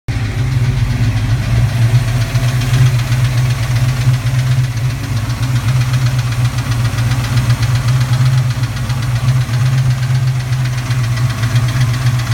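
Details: Cold-start knock on the passenger side of a recently rebuilt 331 V8: busy, uneven metallic clatter over a lumpy cold idle. It fades once warm, then gives way to a belt-like squeal from the rear and rapping under medium load. Good power and oil pressure; valve clatter or piston slap suspected.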